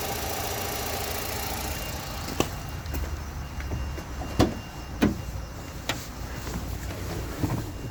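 Quiet, even idle with sharp single knocks coming at uneven gaps about every second; an intermittent knock from underneath, cause unknown.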